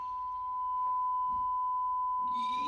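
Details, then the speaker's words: Denon AVR-X2700H receiver after repairs, 1 kHz test tone on the center channel: clean, steady tone without dropouts or crackle over a quiet background; center channel restored and output normal. "all right let me get the let me get a 1K Hertz home put up into this and uh see if we got our Center Channel back"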